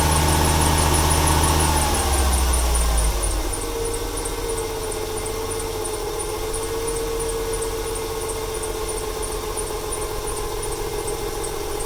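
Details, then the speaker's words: 1995 Ford 300 straight-six with over 400k miles, misfiring: steady high-pitched belt squeal over a rough uneven idle after rain, stutters more when gas is applied; squeaky drive belt, owner wonders if the misfire is a fuel or timing issue. "Here we go. Squeaky belt, it just rained yesterday. Or this morning."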